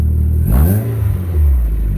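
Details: MG ZR at startup in neutral after fitting a newly fabricated exhaust back box, checked for leaks: the engine blips smoothly and settles to an even, deep idle with no puffing or rasp, quieter than before; normal exhaust note.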